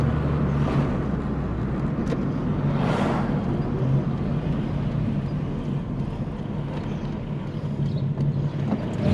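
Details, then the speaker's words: VW Polo Coupe after engine reassembly, test drive: smooth, steady drone with even low rumble under road noise, no knocks or misses, power feels fine, no warning lights or high temperatures; running normally. "oh it definitely sounds good um feels okay you know power feels there uh there's no horrible temperatures or lights on the dash"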